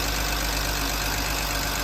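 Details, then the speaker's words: BMW E46 325Ci manual started after long storage, with the instruments not working: steady, even idle with a smooth low rumble and no knocks or misses. Owner had feared no compression and a needed engine, but it runs cleanly. "man second ago I thought it needed an engine a second ago I thought it needed an engine"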